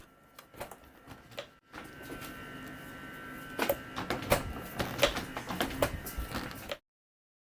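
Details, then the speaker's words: 10–12-year-old Samsung French door refrigerator RFG298HDRS, left door with cracked plastic hinge arm, after VHB tape cushion added under door: door closes with a few soft muffled taps instead of a sharp pop; hinge arm pop damped. "I've got to do something about that pop I'm going to put a bit of VHB tape between the plastic arm and the bottom of the door I think that will dampen the impact of the plastic snapping back"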